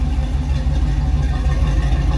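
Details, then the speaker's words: 1976 Chevrolet K10 Silverado squarebody on a road test after an NP205 transfer case swap, rebuilt transmission and new Warn lockout hubs, fluids checked, driven normally: low, even rumble with no clunks, whine or grinding; drivetrain quiet and smooth. "so we can make sure everything's okay it's quiet it's smooth"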